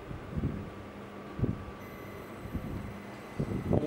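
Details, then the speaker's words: Fujitsu inverter multi-split air conditioner outdoor unit (AOBG18-type), previously noisy with a short-circuit sound, after repair: fan motor and compressor running normally with a low fan rumble and a steady inverter whine, and no error code on the indoor unit. "podemos ver moto ventilador funcionando compressor funcionando detalhe aqui ó na evaporadora nós não temos código de erro tá funcionando tudo certinho"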